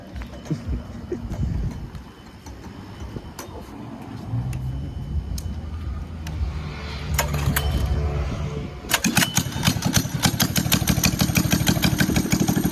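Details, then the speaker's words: Chopper 212 mini bike, customer says front sprocket came off (likely missing screw), test run with exhaust pipe not fully fitted, governor still on: after handling noise the single fires up into a quick, even beat, no knocks; runs fine. "And it sound good though. I'm not gonna lie, it sound good."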